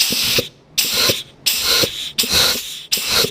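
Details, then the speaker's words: Ford C4 automatic transmission during rebuild, air checks on band servos and direct and forward clutches: short air hiss bursts about once a second with faint clicks as clutches apply; engaging cleanly, no leakage. "And then over here is reverse band servo. So you can hear these things click in with clutches."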